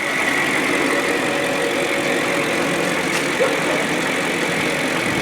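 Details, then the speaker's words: BMW 540i M62 V8, started cold one week after timing chain guide replacement: smooth even hum, steady pitch, no rattle or tapping, no check engine light; normal cold idle. "as you can hear the engine runs smooth that's how you do it"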